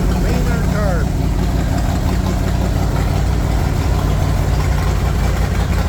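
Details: Chevy 350 V8 in a Wide Gauge Bombardier after a tune-up and an oil and filter change, with long-unchanged black oil drained: deep, steady idle with an even low rumble and no misses or knocks; sounds smooth and clean.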